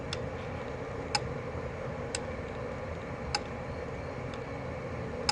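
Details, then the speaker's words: 1976 Gottlieb Volley electromechanical pinball, AX latch relay in the reset sequence, switch tension adjusted: crisp, solid single clicks about once a second over a faint hiss as the relay releases cleanly; correctly adjusted. "so you want to adjust this so there's ample switch tension on this so you get that clicking noise here"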